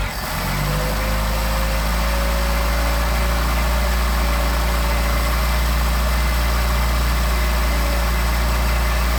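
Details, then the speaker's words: Engine with 44PHH Solex carburetors, cold and warming up unchoked. It picks up cleanly, then holds a smooth, even run with no stumble or hesitation, a nice response; healthy throttle response. "Sorry for the shaky video, but that's the engine rattling the concrete. Nice response."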